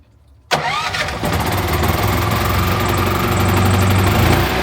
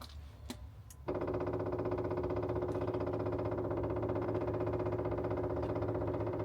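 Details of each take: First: RVMP 5500 onboard generator on a Brinkley 3950 RV, first start after switching from LPG to onboard gasoline: quick crank, then it catches into a steady, even drone. Normal start and idle on gas. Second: RVMP 5500 onboard generator on a Brinkley 3950 RV, being primed after switching from LPG to the onboard gas tanks: rapid, even ticking of about three beats a second that changes note. Fuel pump priming noise.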